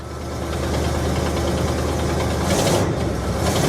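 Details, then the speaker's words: 1973 Buick Regal V8, abandoned for at least 13 years and now revived: deep, lumpy idle with a loose, uneven puffing tick from an exhaust leak. "Listen to that. Other than that exhaust leak. Yeah, other than the exhaust leak."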